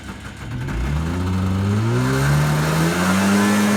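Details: Yamaha Enticer 300 two-stroke snowmobile, year unknown, 120 psi compression per side, reportedly ran last winter; start-up after revival catches and climbs smoothly, pitch rising steadily, no misses or knocks; normal running and revving.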